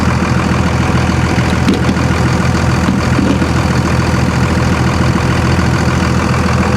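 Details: 57K-mile Dodge Ram 3500 salvage truck with driveshaft missing, heard near the exhaust: loud, even diesel-type idle with a steady low rumble, no knocks or misses, charging nicely; engine runs cleanly.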